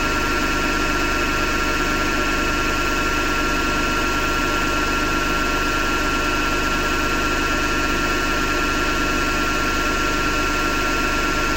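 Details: Hotpoint Ariston FMD963 washing machine running with steady rough grinding and a slow pulse nearly twice a second; owner thinks it comes from the motor rather than the drum and plans to remove the belt to test.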